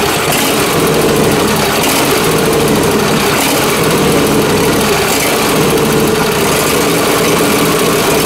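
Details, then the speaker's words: John Deere Z355R zero-turn mower with Intek engine surging while running; closing the choke partway smooths it, so owner suspects a fuel issue: engine hunts rhythmically up and down instead of holding steady. "When it's running, surging, and I push the choke closed a bit, it smooths out. So that's telling me right there that there's definitely some kind of fuel issue."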